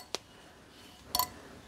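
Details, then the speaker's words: Bosch K-Jetronic air metering unit, air plate re-centred with a 10 mm bolt: two light metallic clicks as the plate lifts and drops back onto its spring, with no scraping; plate moving freely. "That will be a perfect gap all the way around the outside of there, allowing an even force of the incoming air to lift that. So that's one side done. You want that noise"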